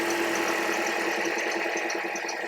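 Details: 2009 Toyota Corolla idling just after fuel injector replacement fixed rough running: steady, even idle with a light regular injector tick and no misses or stumbles; no fuel leaks, healthy normal idle.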